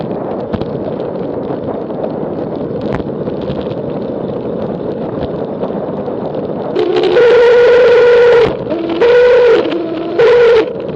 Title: Strange noise & vibration while descending